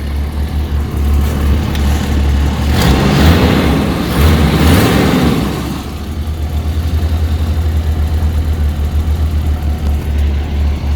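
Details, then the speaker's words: 1989 Jeep Comanche just started: a steady, even idle with one smooth rev, no knocking or ticking, sounding healthy. Oil pressure reading is uncertain and the gauge may be faulty. Normal idle. "But she starts. She doesn't sound bad. She's not knocking."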